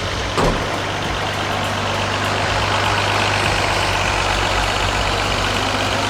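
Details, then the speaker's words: 1983 Mercedes-Benz W126 280SE inline six, 10 years in a barn, first run: brief clatter, then a smooth even idle with a steady low drone. RPM dipped at first, now smooth. Normal idle. "it runs amazing at the first we had a bit of dips in the in the RPM but now it's actually starting to uh to run real smooth"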